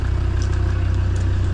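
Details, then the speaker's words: Auction car that used to cut out after about 5 minutes and struggle to restart, idling with an even, steady beat after 20-25 minutes of running, no stumbles or cut-outs; the old cleaned fuel pump was tried and still cut out. "So this has been running for 20-25 minutes. Hasn't missed a beat."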